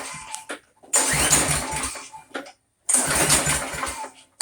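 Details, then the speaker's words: Briggs & Stratton Quantum Craftsman mower after storage with old fuel, retried after resting: two long rasping recoil pulls, no firing; won't start, owner suspects no fuel reaching the bowl, later blamed on suspected clogged main jet. "All right, so that's not starting. So what shall we do for step 2?"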